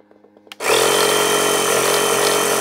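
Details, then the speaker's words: Small 12 V cigarette-lighter-plug compressor with light, powered from a 12 V transformer: click, then a steady, even buzzing drone with a constant whine; blows air, light and indicator flasher work; runs healthy. "does does blow out air our light works and Flash okay sounds like an indicator must have a um a flashy unit inside"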